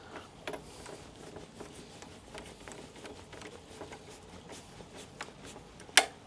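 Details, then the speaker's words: Torque screwdriver with flat-head bit set to 1.75 for a Pod Point EV charger; light ticking while driving the screw, then a sharp click as the clutch slips at set torque. "if you've never used a torque screwdriver before what happens is you'll hear it clunk"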